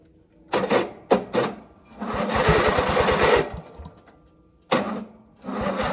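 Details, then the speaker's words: 1997 MTD Yard Machines riding mower, tank refilled from empty; short stop-start bursts then uneven chugging that stumbles and dies, engine running rough and unhappy. "It's probably not going. it's not happy."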